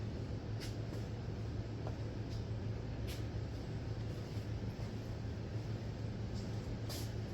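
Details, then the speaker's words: 1966 Buick Special with a 350 V8, first start after install, open pipe, long-stored: low steady idle rumble with even beats, no knock or miss, a little gas-smelling smoke; starts well and idles down good. "but uh looks like it idles good it idled down good started real good so uh man I'm impressed I'm impressed"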